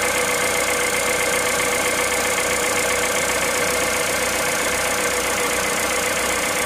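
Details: Cold engine at idle, 65,000 km, running 0W30 Total Ineo ECS oil: busy, fairly regular ticking chatter about four per second riding high over the engine; cold-start noise, cause not pinned down.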